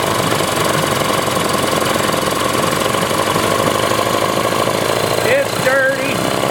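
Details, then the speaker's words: 1994 Johnson/Evinrude 15 hp two-stroke outboard with impact damage, dual coil setup, before carb cleaning: ragged, stumbling idle as if running on one cylinder; owner suspects a gummed-up carburetor or ignition issue. Rough idle. "doesn't idle well at all. So she's rough, so I'll clean her up a little bit. And it sure sounds like it's running on one cylinder, but it could just be the carburetor's all gummed up too, and it's halfway delivering fuel the way it's supposed to."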